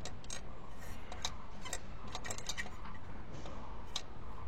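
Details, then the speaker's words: Ford car engine water pump, removed and spun by hand: irregular dry ticking and rattling instead of a smooth spin from a worn bearing; pump that makes this sound is bad and is replaced with a new original part. "এটা sound করতেছে ওয়াটারম sound যখন করে তখন এটা বাদ হয়ে যায়"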